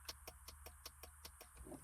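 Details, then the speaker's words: 2022 Kawasaki Ultra 310 jet ski (replacement wire harness), key on: rapid even clicking about five per second from the main/system relay chattering on low supply voltage, traced to a corroded factory splice in the harness. "So, the relay is clicking."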